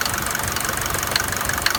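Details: Mercedes-Benz W124 200D diesel at idle: light rapid ticking knock with a quick even beat over the idle, stopping when accelerated; source unknown.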